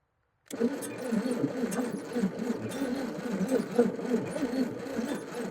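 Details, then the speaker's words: 1956 Chevrolet 235 straight six, parked since 1989: slow, labored cranking with uneven churn that never catches; the engine turns but won't fire. "Ain't even a hope of this thing running. That is a slow cranking son of a gun. But every 600 I had always was slow cranking."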